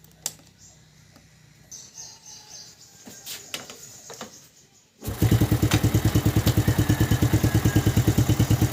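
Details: Yamaha New Jupiter Z (Vega ZR) motorcycle after repair for a harsh-running engine (suspected worn piston, slack cam chain replaced); fires and settles into an even, steady idle of about three beats a second.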